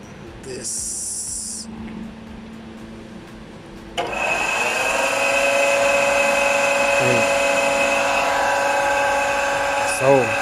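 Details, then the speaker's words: Eberspacher D3L diesel air heater, about 40 years old (believed 1980s, from a Volkswagen Transporter), bench-tested on battery with fuel pump and exhaust fitted; quiet hiss, then it fires up with a loud steady whine and roar, running noticeably noisy. "not not the most silent unit i also connected the fuel pump here and everything even the exhaust fits for modiful"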